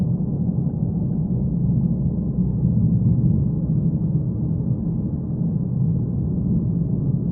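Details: 2015 Mazda 3 (BM) sedan, neutral and amplified recording: low, steady drone that swells and fades slightly, nothing above a deep hum; pulsing cabin drone of unknown cause.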